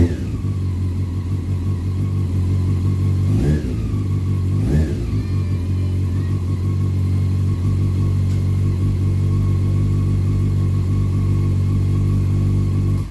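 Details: 2001 Honda CBR 600 F4i first start after valve adjustment and reassembly (needed headlight connected for fuel pump prime): steady four-cylinder idle with two quick throttle blips, even firing, some smoke out the back; normal running with revving.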